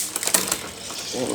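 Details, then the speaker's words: Bicycle rear derailleur with delayed, noisy shifting while cable tension is being adjusted; quick ratchety clicks and chatter as the chain crosses the rear cogs, shift still delayed, cable tension still too low. "suara bising , teman-teman. Saat ini, masih ada penundaan. Kita tambahkan sedikit lagi."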